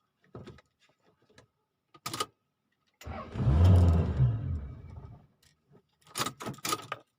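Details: 1992 Toyota Camry after the weak battery was charged: key clicks, then the engine catches for about two seconds, sputters and dies; it won't keep running, and the owner suspects fuel not yet arriving or timing.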